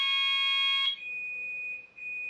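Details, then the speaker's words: GENT Vigilon home fire alarm system test: a shrill continuous tone, then a steady higher-pitched alarm; the sounder responds properly to the call point test. "I'm going to have to like sell tape this buzzer or cellar tape over it cuz it's so loud. You can hear it from like the other side of the house."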